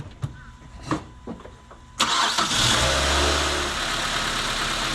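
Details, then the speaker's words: Mazda 3 after new engine mounts were fitted; it previously had a hard miss sound under acceleration. Starter whirs briefly, then the engine catches and settles into an even, steady idle with no rumble or miss. Normal start and idle. "well it runs absolutely smooth let's go for a drive well as you remember it had a very very hard miss sound when it was accelerating right now it's so smooth you can't even feel it right now"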